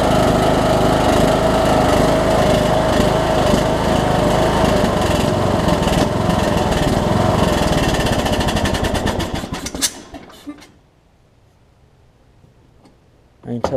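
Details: Troy-Bilt Bronco, Briggs & Stratton 18hp Intek single with Chinese Nikki-copy carb, low-side jet drilled out, air filter off, low fuel; runs fast and buzzy with slight rise and fall before shutting off, mild surging remains.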